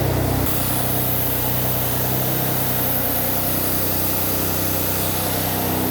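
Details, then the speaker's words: Porsche Macan Turbo after wreck rebuild, first start with air intake not yet fitted: even, busy idle with loud rushing suction as the turbos draw through the open intake; intake noise with air intake removed. "hold on okay you hear that noise we did not put the air intake on um so the turbos are just like sucking from here I guess or it's not"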